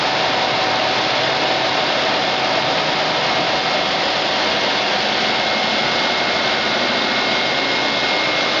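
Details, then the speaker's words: Electric AC compressor for a Nissan Sentra conversion, bench-tested at 12.9 V with about 6 V to the speed control: a steady high whine and hiss as it comes up to speed slowly. It sometimes fails to start, and the owner suspects low voltage. "it also starts really slow I don't know if that's a problem but the compressor starts slow"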